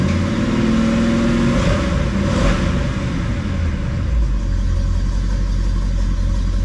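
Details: 1971 Oldsmobile Cutlass convertible V8 after Quadrajet carburetor repair: rumbles evenly, takes a brief throttle blip and settles back smoothly without stumbling; healthy, running cleanly, small fuel leak noted at carb.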